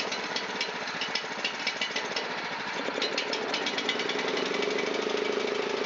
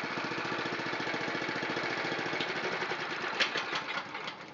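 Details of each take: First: Honda GX270 on a NorthStar water pump, long unused, old fuel, running on choke at full speed: fast, slightly uneven rough ticking with rising tone; dies when choke is off, idle circuits and probably main jet clogged. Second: Honda GX270 on a NorthStar water pump after carburetor cleaning, started with a little choke at full throttle: quick even exhaust pulses settling and quietening as revs drop back to a smooth steady idle.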